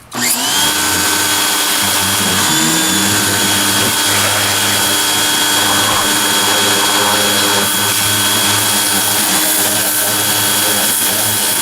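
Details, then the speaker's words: Greenworks 2100 PSI electric pressure washer, first use with the turbo nozzle: steady high motor whine over an even pump hum, much quieter than a gas engine, motor shuts off when not in use; running normally. "And I like how the motor shuts off when you're not using it. And it's much quieter than a gas engine."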